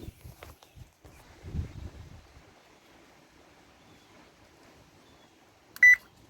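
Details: Whirlpool stove control panel after reconnecting connectors and powering on: single short clear beep as start key is pressed; board responds, so button and board work.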